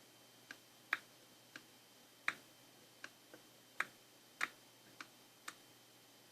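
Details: Intake manifold runner control (IMRC) valve tested after repair; crisp, isolated clicks about every half second to a second in a quiet room, the valve actuating cleanly and operating normally.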